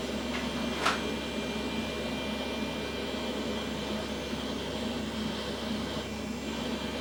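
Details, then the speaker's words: Old beige Pentium PC with Windows 2000 running: steady loud whooshing drone with a faint hum; power supply and fans seem in poor shape, cause suspected, not confirmed. "okay so the computer does work but it sounds like you know the power supply is not in great shape and it's got fans in there those aren't in great shape either"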